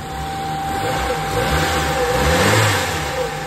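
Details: Carbureted Nissan B13 GA13 after a crank-only, no-start, no-spark fault, radiator fan wiring repaired back to the automatic switch instead of direct ignition feed: catches and holds a fairly even idle with a slight swell in revs as it warms; running normally.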